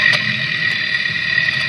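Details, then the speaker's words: 2016 Mitsubishi Outlander after CV axle replacement, sensor at intermediate axle support bracket: steady high-pitched whine over low rumble, same noise as before; suspected to come from CV axle at bracket. "yeah so basically the noise is coming from from a CV axle"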